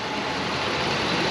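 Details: 2006 Dodge Ram 1500 5.7 V8 after draining about 24 gallons of diesel mixed with gasoline from tank, after a drive, heard from the front. Steady even idle rumble, no misses or stumbles, under hiss; running smoothly.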